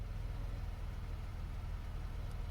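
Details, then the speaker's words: 2009 Chevrolet Impala, salvage car revived after battery cleaning and charging, post-drive to 60 mph, shifts all four gears well: quiet steady low idle, even beat, no knocks, ticks or whine; normal idle. "i mean she runs i was thinking of tuning it up but man it runs like a top"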